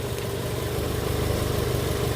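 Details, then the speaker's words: 1990–91 Honda Civic EX sedan after replacing a failed intake manifold gasket that caused a low idle: smooth, even, relaxed idle with a steady low hum and no stumbles or hunting; idling properly now. "sounds like a different car already we already just sounds different sounds a lot more relaxed so I think that was definitely a big part of the problem"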